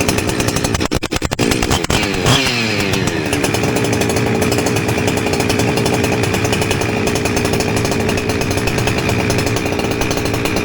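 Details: Husqvarna 359 chainsaw after inlet boot replacement, with a drilled-out aftermarket muffler and high jet richened: cranks briefly, then catches into a steady, loud high-pitched buzz at high speed. Normal running.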